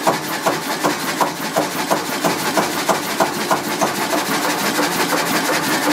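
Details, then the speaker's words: Kelvin K1 vintage marine diesel in its engine room, warm at 44 °C coolant, revved above idle: a slow, steady beat of about three firing pulses a second with a dry clatter on top; running evenly, cooling-water flow flap rises. "I'll run the engine a bit quicker. That little flap in there rises."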